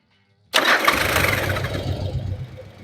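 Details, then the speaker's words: Yamaha Virago 1100 V-twin after valve adjustment and carburettor synchronisation: quick catch on the starter, then a steady low rumbling idle settling smoothly with no misses; engine sounds fine. "okay but this looks very good because the bike sounds fine fine okay"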